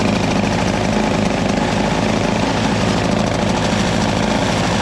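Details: Craftsman 521 / Toro CR20E single-stage two-stroke snow blower with a diaphragm carburetor, started on the electric starter with the choke worked by hand. Loud, raspy, fast-popping note at steady speed with no misses or knocks; running normally.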